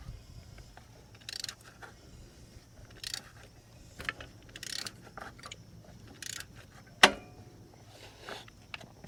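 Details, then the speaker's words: Mercedes-Benz A350 with M276 V6 and cold-start rattle, engine turned slowly by hand at the 27 mm crank bolt: sharp click every so often, the sound behind the startup rattle. "So We heard that click. That's that rattle that you hear at startup."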